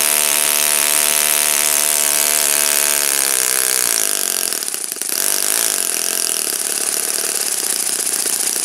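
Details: Saito FA-56 four-stroke glow engine, first run after teardown, cleaning and bearing replacement; moderate-time engine on 12x6 prop, OS F plug, 5% Omega fuel. High steady buzz holding even pitch, picking up smoothly without sputtering; normal running.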